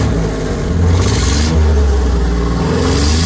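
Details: 2000 F-250 with 4.2 engine, no check-engine light, engine warm, revving: uneven, lumpy low beat from a misfire on cylinder number 1, with erratic running; engine misfire.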